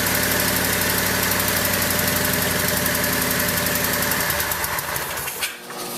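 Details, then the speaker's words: Craftsman lawn tractor, first run in over a year: an even, quick firing beat for about four seconds, then switched off and winding down; running smoothly, a normal idle. "Idling pretty good. Yeah, I'm happy. This thing hasn't run in a long time."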